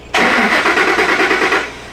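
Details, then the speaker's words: 2003 Ford Expedition 4.6L V8, mic by the gas cap/tank: about eight quick even cranking pulses, no catch; crank no start, no fuel pump prime heard. Cause not confirmed. "Still got a no start. All right, gang, so I had you positioned back here. We're still not getting this prime on this fuel pump, but we can't hear it."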